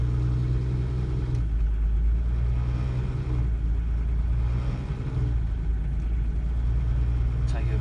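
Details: Volvo 940 diesel, inside the moving car: a heavy, throbbing low drone, a vibration boom that swells at higher revs near the gear change; source unknown, being identified.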